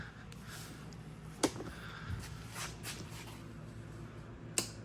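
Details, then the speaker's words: Carbureted Yamaha YFZ450 with stock airbox removed and fuel tank drained (only carb bowl fuel left), start attempt: two sharp single clicks about three seconds apart, no cranking; owner blames a failing starter relay, check battery and connections first. "that noise right there, guys, whenever you come across that, that is your relay going bad."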